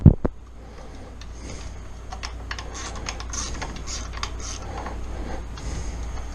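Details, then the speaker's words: 1996 Suzuki RM250 two-stroke under restoration: scattered sharp cracks and creaks as crankcase halves are bolted and drawn together, normal bearing seating into the case. "hear that creaking and cracking that's the that's the barring relieving as I work it up that's everything finding seat finding home I know it sounds awful"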